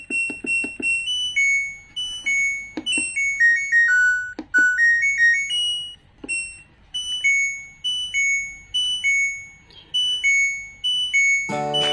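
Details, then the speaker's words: LG Smart Inverter washing machine control module after a corroded power-supply board was repaired with a replaced transistor. Pressing power plays a crisp run of bright startup beeps; it previously showed standby but would not start. Normal power-on melody. "selanjutnya kita tekan tombol power di sini nah Alhamdulillah ya teman-teman sudah hidup"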